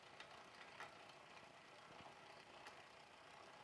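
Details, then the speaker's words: Bicycle rear derailleur after barrel-adjuster tuning: low, even chain hiss and freewheel sound with only faint ticks, no clanking; the noise is gone and shifting is now properly adjusted for that gear. "the noise is gone so now I'm properly adjusted for that gear"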